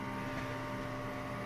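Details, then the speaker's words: Old automatic washing machine in for no-drain repair, now on the spin cycle, with some rusted parts underneath: a steady, even hum with no rumble or growl rising with drum speed, bearings still quiet and healthy. "Okay pa naman kahit na bulok na yung mga ibang part sa ilalim at least tahimik pa rin siya wala pang problema yung bearing"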